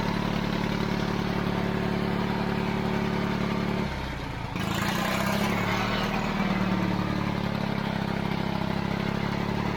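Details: 70-year-old 1950s barn-find D6 dozer diesel, started via pony motor after years sitting: starting clatter settles into a deep, lumpy chug holding a steady slow beat; normal diesel idle.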